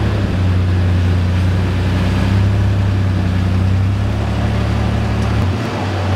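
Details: 1995 Toyota Tacoma 3.4L 4x4 idling after its rusty exhaust and muffler were replaced: a steady, deep, even rumble with no rasp, ticking or leak hiss, so the exhaust is sealed and healthy.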